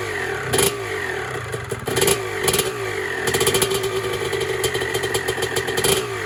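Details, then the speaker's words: 1996 Honda CR250 two-stroke, carburetor rebuilt and rejetted to stock 52, first start attempt before restoration: crisp revs climbing and dropping cleanly, steady between blips, loud raspy exhaust; normal running and revving. "sounds good."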